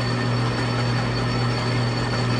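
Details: Used 2200x650 metal lathe, bushing needing brass or bronze repair, after tightening: steady low drone with even mechanical hum, no knocks or grinding; normal running.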